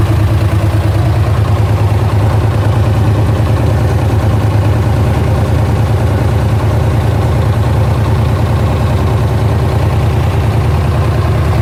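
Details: LS1 V8 at idle: steady idle with a light, fast tick around three per second, like valvetrain ticking.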